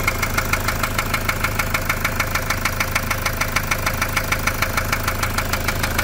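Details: Toyota SW4 diesel with problems after a service: sharp metallic knock about three per second, very even, over a steady idle; injector or rod suspected at first, traced to a stuck injector.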